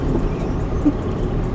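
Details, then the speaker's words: 2001 Honda Insight driving after its bad transmission mount was filled with windshield resin and left overnight. Even road and engine rumble with no thump or clunk as it pulls; the mount now holds. "so I made a post and they said use windshield resin stuff and it'll fix your problem and uh can confirm problem"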